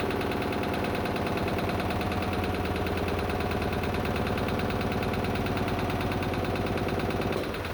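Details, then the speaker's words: Lister diesel emergency air compressor on the M/V Steve Irwin under compressing load, 24 bar rated: heavy, regular thump that slows and labours against the load, then cuts off; normal running under load. "it's all looking and sounding good so we going to the next scene put it under load so it presses air and see how it performs"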